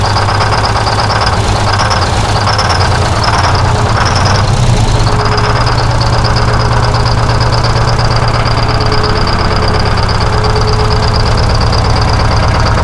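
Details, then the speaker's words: 1970 Peterbilt 341 with blown-up Detroit 6V71 diesel, unused since 2018, running on three cylinders: loud clatter with a hard, uneven knock near three per second through rough idle; engine knock from internal damage. "Everything's blown up, dude."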